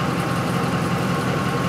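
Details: 2004 Ford F-150 5.4L V8 that stalls when hot and won't restart until cool, fuel pump bypassed to run full speed, smooth steady idle; rail pressure reads 75 psi maximum.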